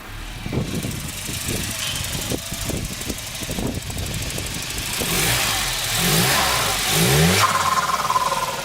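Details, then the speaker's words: Volvo 940 drift project, first start after fitting new 3-inch MAF with old turbo pipe squeezed on and air filter fitted: engine runs unevenly with lumpy firing and hunting revs; rough running, cause not yet found. "And we've killed it. Okay, what's going on there? I mean, that should be working. I mean, it's running. It's just..."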